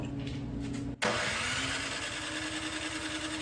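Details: Snow blower small engine after carburetor rebuild, spitting fuel from the exhaust, float and needle replaced for suspected over-fueling: starter spins at a steady even beat but never fires; cranks without starting, possible clogged carb passage suspected.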